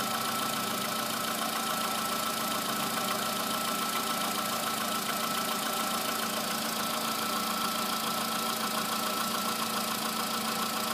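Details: VW Polo sedan, morning cold start, under 9000 km after modified piston replacement, oil changed 5000 km ago: steady cold idle with fast, fairly regular tapping about three or four knocks per second over the hum; source not identified.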